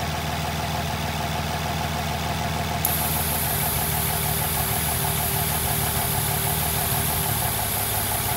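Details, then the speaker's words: Nissan VQ35HR V6 with P0300 multiple-cylinder misfires, P2A00 and P2A03 codes: idles roughly with an uneven, stumbling beat and a thin hiss of air sucked in at the top of the intake plenum, leaking at a stud and attachment location. "misfiring bad idle sucking air through the top of the indignant"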